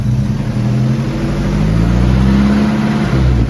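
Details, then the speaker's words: 1950s Jeep "Little Joe", revived after sitting 38 years, running on jack stands: a deep, steady engine note swelling smoothly when revved, with no knocks, rattles or smoke. It sounds healthy. "right on that sounds really good all right well now let's get it the hell off the jack stands see if it'll move right oh it sounds good"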